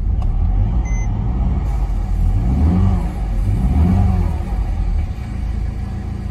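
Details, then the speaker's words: Wrecked 2010 Mercedes E550 V8 running briefly without coolant: idle stumbles and surges with a choppy beat; codes show misfires on cylinders 1, 4, 6 and 7, cause not yet found; multiple cylinder misfire. "okay so I pulled codes up looks like it's got cylinder one four six and seven misfire which are on the passenger side the front and rear and then the middle two on the driver's side"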